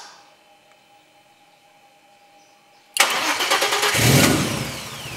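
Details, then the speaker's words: R5 Maxi replica race car started via newly wired start/stop button: quiet, then quick crank, engine fires, revs briefly and settles into smooth, even idle; wiring works, starts and runs fine. "voilà donc je suis content ça fonctionne"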